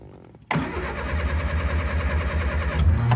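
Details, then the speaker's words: Triumph Spitfire that will not start, suspected to need a fuel pump, with wiring behind the ignition key being wiggled: engine spins over with a lumpy, uneven churn for about three seconds but does not catch; cranks, no start. "There again, it's trying to start."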